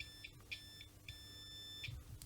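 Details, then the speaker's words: Multimeter in continuity mode checking an audio jack before an LM386 pedal build, probes on the sleeve leg and base: short high beeps come and go as the probes touch, confirming the sleeve connection is good. "For example, if you put it to continuity mode and you hold one here to this base here, and then this leg here is connected to the sleeve, and so by touching this we should get a sound. And as you can hear,"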